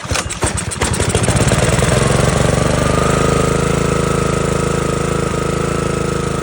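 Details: Simpson pressure washer small engine (115 psi compression) after a carburetor cleaning, on choke with carb cleaner sprayed in: fires on the pull, stumbles briefly, then picks up to a steady even beat; running normally.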